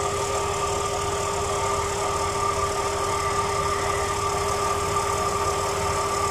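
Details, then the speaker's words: Truck AC compressor that squealed, after spraying lubricant treatment: engine idles evenly with compressor engaged; only a faint steady hum, squeal practically gone. "ah como nos pudimos dar cuenta y el sonido prácticamente desapareció"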